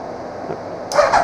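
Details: Starter on a 2000 Suzuki Hayabusa GSX1300R that sat a year indoors: silence, then even cranking pulses as the motor turns over normally after a starting fault was cured by grounding a clip to bare frame metal.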